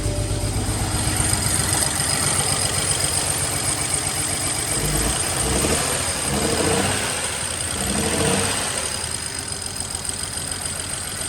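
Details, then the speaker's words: Car started after misfire work, fuel lines reconnected, intake box off, extra quart of oil added: lumpy, stumbling idle with uneven beat and surging revs; misfiring, smoking up the garage. "It doesn't look like it's driving good. Turn it off. >> Yeah. I don't think we should have started like that. It was making hella."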